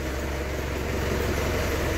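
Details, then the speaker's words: Isuzu Crosswind diesel that had low power, smoke and no pull; after removing a rag blocking the turbo intake, steady low idle rumble with an even beat, no misses, knocks or whistle; smoke reduced. "Thank you Lord, at sana okay na to. Uy, wow, ganda na ng tunog."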